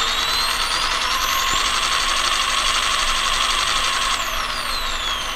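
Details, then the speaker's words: Castle Cobra 10 ESC in rock crawler, after CastleLink reprogramming, tiny low-throttle inputs: high electronic whine jumps between two pitches, frequency switching still present; ESC switching-frequency hopping at low throttle. "but you can hear it switching between I'm barely moving my finger like not even perceptible amount and it's switching between those two frequencies"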